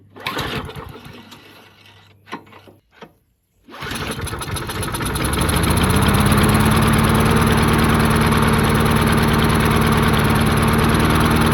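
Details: 22-inch Murray mower, 5 hp Briggs flathead, unrun 20 years, float bowl freed: sputters, cuts out, then runs on an uneven beat; fuel starvation, suspected debris in clogged fuel line.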